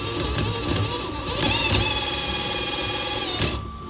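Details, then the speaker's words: HB R1001-series RC Ford Bronco gearbox after cleaning: high motor whine with irregular gritty chatter, about four a second, as the gear half meshes; shifter not pushing far enough forward, needs adjustment. "ini shifternya kurang masuk nih waktu masuk gini dia kurang dorong ke depan"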